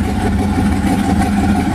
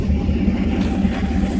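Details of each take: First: 1991 Mazda B2200 with 6.0 LQ4 V8 twin-turbo swap, 80 lb injectors, first startup after engine rebuild, assembly lube smoking off: loud, lumpy, choppy V8 running with steady exhaust drone; still untuned. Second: 1991 Mazda B2200 with 6.0 LQ4 V8 swap, twin turbos, 80lb injectors, stock 2002 GM computer, freshly rebuilt engine, first startup with a real fuel file: deep even V8 burble, steady firing, now idles smoothly and cleanly.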